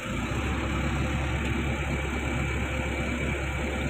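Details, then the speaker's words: Komatsu PC200-10M0 excavator diesel, faults CA559 and CA2249 with engine drop and low power; at low idle rail pressure reads 600 against a 600 command, sensor about 1.9 V; steady even low rumble, no knocks or misses, healthy idle. "Vậy là khi nó ở mức không tải thấp thì an toàn, 1000 giờ quay là an toàn"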